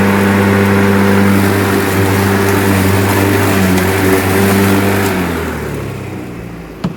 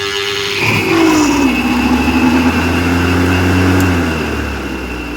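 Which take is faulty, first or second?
first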